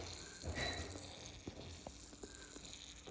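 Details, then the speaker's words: New Beta 4-stroke EFI motorcycle, engine off, dealer tool connected after fueling: fuel pump hisses continuously, never stops; fuel leaking at the fuel pump elbow, to be replaced with aluminum EFI elbow. "I put gas in it and I had plugged my dealer tool into it cuz I was going to do the remap on it and immediately I could hear the fuel pump hissing"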